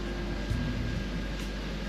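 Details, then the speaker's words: BMW 330i being readied for drifting, after clutch repair: smooth, even idle with the clutch pressed and no grinding, chirp or rattle, where it made nasty noises before; clutch operating quietly. "but it feels good there's no nasty noises"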